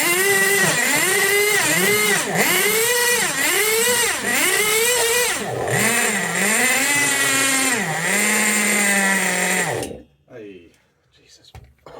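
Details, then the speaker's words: Tamiya Nitrage 5.2 1/8 nitro RC truggy, built 2008 and stored for years: revs surge and sag about every two seconds then cut out; running rich, possibly sticky from sitting, mixture leaned half a turn. "it's it's it's Rich it is Rich it is Rich it is running rich but you know maybe the car's just a bit sticky but just from sitting"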